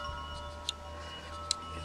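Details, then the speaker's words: Train-Li R7 turnout, reed relay switching frog power, before the magnetized deck screw is brought near: three crisp tiny clicks about a second apart over a quiet hum, one per switch throw. The reed switch is operating normally. "so the interesting phenomena is that if I switch this I could hear the little relay read relay clicking"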